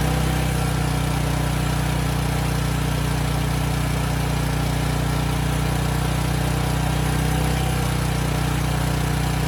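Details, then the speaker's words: Briggs & Stratton Storm Responder generator (engine 21T212-0116-G1), formerly stuck at TDC with fuel-flooded oil, first run with governor spring backed off: a low, steady thrum at slow governed speed with even firing. It makes power; early smoke burned off. Normal running. "okay that's all i wanted to see it makes power the engine sounds good it was smoking a bit but that burned off after a few minutes"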